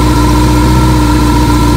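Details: 1982 Kawasaki KZ1000M CSR1000, 7,884 miles, with rebuilt carbs, new oil, filter and plugs, running at about 5 degrees outside: smooth, even idle with no knocks or misses, no engine smoke or noise, charging at 14.6 volts. Normal idle.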